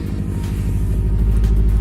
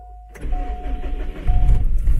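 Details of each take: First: Subaru STI (high-horsepower tune) at idle after the weak ignition coils were replaced with new coils: deep, lumpy boxer rumble pulsing evenly with no skips or stumbles; the misfire is gone and all cylinders are firing. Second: Subaru STI with dual fuel pumps, a high-horsepower tune with misfire detection off and unequal-length headers, before the coils were replaced: it starts and settles into an uneven, stumbling idle beyond the usual boxer burble; misfire, which the owner suspects is weak coil packs.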